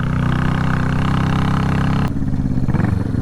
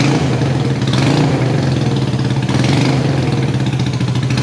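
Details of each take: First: Salvage motorcycle twin being revived, previously firing on one cylinder, right cylinder briefly came in, after plug change: runs lumpy and uneven with a rough low beat, dropping to a ragged stumbling idle; still misfiring on one cylinder, worse. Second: Salvage motorcycle revived, first running, fuel leaking: steady even twin-cylinder idle, meaty throaty beat, no misses or knocks; running normally.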